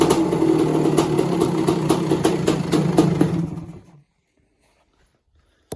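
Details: 1986 Kawasaki KX250 two-stroke after a lean-run holed piston, now with rebored cylinder, new piston, top-end gaskets and water pump kit: crisp crackle with a steady rapid beat, clean under added throttle, then cut off; healthy running.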